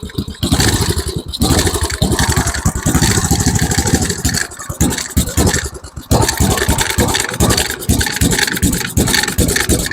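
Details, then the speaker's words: Tecumseh Snow King 7hp 4-stroke engine on an MTD Snow Flite snowblower, after a carburetor rebuild: a fast single-cylinder putter that sags and stumbles. The choke was mistakenly left closed, so it runs rich. "Okay, let's try with the choke open. That's that that was my fault. I I forgot to open the choke back up."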